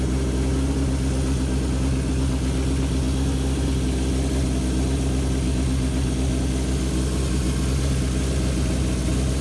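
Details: 1978 Kawasaki KZ650 C four-cylinder, revived after sitting at least 5 years, during carb synchronization with air cleaners off and idle set to 2000 rpm: smooth steady fast idle with even low drone, no misses or hunting; normal fast idle.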